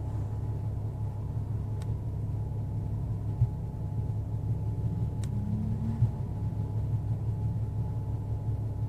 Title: Rough idle